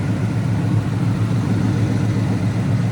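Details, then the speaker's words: Coyote V8-swapped SN95 Mustang at idle after coolant bleeding, alternator reading only 11.4 V: deep, even low rumble with a smooth steady beat and no ticks or misses; running good, normal idle. "It's running good though. Sounds good."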